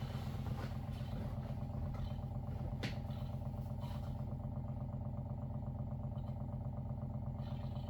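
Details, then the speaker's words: Water First (Dr.Water Y) countertop 5-stage reverse osmosis purifier at first setup, running its filter cycle: low, steady pump hum with a soft regular pulse about once a second; filtering normally with no strain. "It looks like, sounds like the machine is filtering water, which is what we wanted to do, and it'll be ready for our next glass of water."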